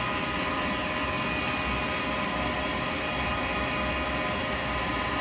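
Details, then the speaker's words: Lathe turning a thin acrylic pen blank with a 12mm round carbide chisel: rough buzzing rattle under the cut as the thinning blank flexes and chatters against the tool. "if you're getting that noise the quick finger behind it especially that noise you don't want that noise"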